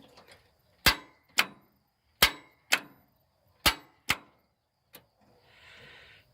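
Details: John Deere tractor in neutral won't start: six sharp metallic clacks in uneven pairs with no cranking. Owner first suspects a failing solenoid or a starter not engaging; traced to a rusty, poor ground at the starter mount.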